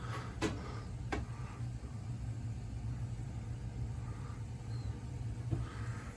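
Low, steady burner roar holds an even hum with only a couple of clunks from nearby; firing sounds smooth and healthy.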